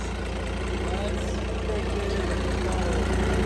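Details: Cummins diesel burnout truck thought blown up, restarted; steady even clatter, smooth low rumble, no knocks or misses; slight exhaust puff like a sewing machine, said to be normal and common on these: normal idle.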